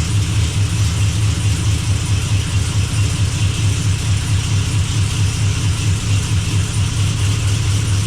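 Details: Blazer after transmission repair, running while shifter is cycled through gears to circulate fluid; deep steady idle with even pulse, no clunks, whine or slipping from the gearbox, good oil pressure, no drips: normal running.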